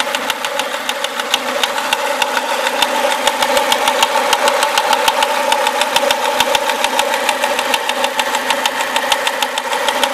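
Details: Renault Clio RS at idle: sharp, even metallic ticking about three times a second over a steady idle; source of the engine ticking noise unknown.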